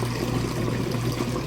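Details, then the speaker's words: Whirlpool direct-drive top-load washer draining from wash into rinse: even low pump hum under rushing, gurgling water with no grinding or rattle. The drain pump is emptying the tub fast and normally. "Alright, we're moving out of the wash cycle into the rinse cycle now. Just draining that water out nice and fast, you can hear."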